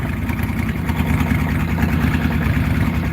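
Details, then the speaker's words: Farmall H tractor: loud open-pipe idle with uneven loping low pulses about three per second, rough and lumpy; owner attributes the miss to timing and new but poor-quality spark plug wires. "listen to that exhaust sounds like a old beat up harley that hasn't been on the road for 20 years"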